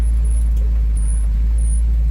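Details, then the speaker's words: 1967 Ford Mustang with manual gearbox, while driving: faint high chirps about every half second over heavy road rumble as the steering wheel, which has a lot of play, is turned. Cause of the squeak not pinned down. "So it's really just that steering wheel, that's the steering itself actually, where you have just all that play, and it kind of squeaks. You can hear a little bit of squeaking on the wheel."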